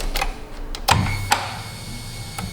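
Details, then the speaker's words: 2015 Kia Sorento with intermittent crank-no-start; pressing on fuse/relay board makes scattered sharp relay clicks and brief hum as everything works; suspected cracked solder joints on board needing reflow, not confirmed; intermittent relay clicking. "of course now everything's working now we tweaked it too much I just wanted to see if I could tweak on one of these relays and get it to not work"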